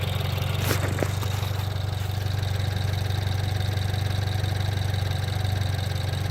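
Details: BMW 428i at idle: even idle with a light, regular clicking about four times a second over the low engine hum; source of the clicking unknown.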